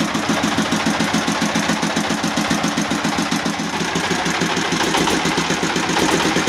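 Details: S1125 single-cylinder diesel, which could not be throttled up, test-run after the pump was reassembled and bolted so it now throttles: even, steady chugging about three to four beats a second, no knocks or misses; runs healthy.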